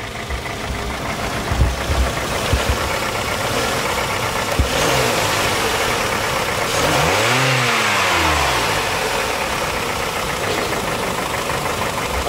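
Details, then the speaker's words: 2007 Hyundai NF Sonata up for export: rough, harsh engine note swelling and falling as it revs, with a coarse rattly edge; the engine is judged worn and in poor condition, cause not confirmed. "분들이 본다면 아이미 엔진이 맛이 가서 엔진 상태가 좋지 않고 여러가지 시구를 파악하실 수 가 있겠습니다"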